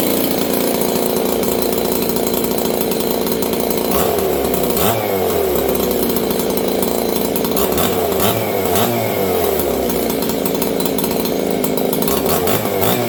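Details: Old Jonsered 630 chainsaw with a new Husqvarna full wrap bar, first run since last used in winter. Runs loud but burbles and wavers unevenly instead of a clean scream; carburetor mixture too rich.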